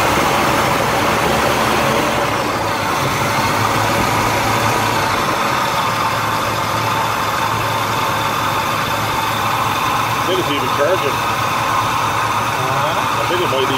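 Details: Chevrolet Malibu Classic V8, first start after about ten years off the road: idles steadily but slightly uneven and a touch fast; electric choke found way out of adjustment.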